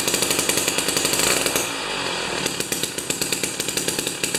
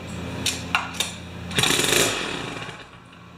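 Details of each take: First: Jiffy 30 3HP two-stroke ice auger with a J19LM plug instead of a J17LM: buzzing hard at high revs with brief dips and even firing after the mixture is turned out from lean; normal running. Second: Jiffy 30 two-stroke 3 HP ice auger that won't run: a few dry clicks, then a half-second burst of ragged firing that fades out, with nothing left in the tank; stall from fuel starvation.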